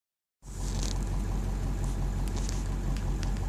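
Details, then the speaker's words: Duramax diesel rough idle: deep thrum wavers unevenly as rpm hunts between about 655 and almost 700, sometimes higher or lower, and the truck visibly shakes. "look how it idles it goes from like 655 to almost 700 and sometimes it's a little bit higher a bit lower shakes like you guys can probably tell by the camera"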